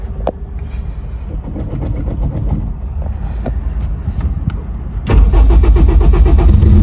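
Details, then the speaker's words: Honda S2000, 700hp+ turbo on E85, cold start as delivered: slow labored cranking, then loud lumpy running; wideband pegged at 8 AFR, far too rich, with long-standing starting, idle and firing issues. "that's crazy that's uh 8 AFR pegged all the way to eight that's too too rich"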